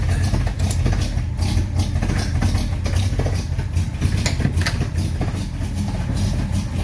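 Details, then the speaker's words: Fully rebuilt 1953 Chevy 3800 truck, restarted after cleaning the spark plugs; the key had been left on and the coil or points may be cooked. Low, lumpy, uneven idle; running rich from too much choke. "yeah i think i got oh too much choke on it"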